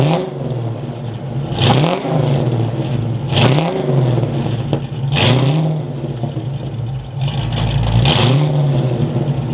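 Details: Ford Fox-body Mustang V8, around 200 horsepower, with a new custom exhaust and muffins (mufflers): deep, even burble with sharp clean revving blips, loud at the rear but a good tone; normal revving, healthy engine and exhaust.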